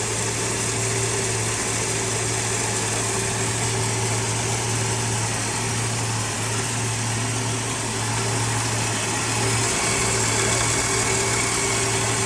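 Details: Plymouth Duster, Mopar Slant 6 225, running off the gas tank after starting on start fluid: steady, even idle with a constant low drone, no misses or knocks; normal idle.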